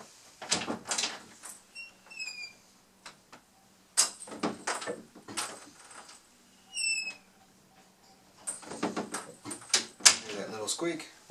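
Two short, high, gliding squeaks as the door swings, amid clicks and knocks from the door moving.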